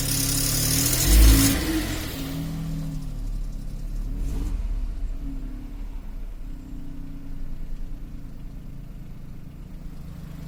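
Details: Cold start of a Seat Toledo 1.0 TSI 81 kW, outside temperature above 20 °C: engine catches with a flare of revs, then idles with an uneven metallic rattle underneath; cause not pinned down.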